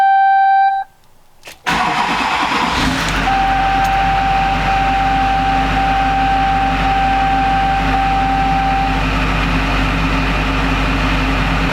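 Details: 20-year-old Duramax diesel pickup, recently new injectors, cooling system just opened and topped off, sat a while; brief crank then steady even idle, no whistles or boost leaks; normal idle.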